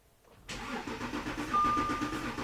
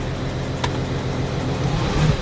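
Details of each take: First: 2014 Audi Q7 3.0 L diesel with rough running, shaking and power loss (P0087 low rail pressure, P0272 cylinder 4 balance), cranking under scope test: even compression pulses about 3–4 per second with no knocks. Mechanically healthy engine. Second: 2014 Audi Q7 3.0L diesel with codes P0272 cylinder 4 contribution/balance and P0087 fuel rail pressure too low, idling after codes cleared: lumpy, uneven thump with severe shaking, one cylinder misfiring, power loss reported.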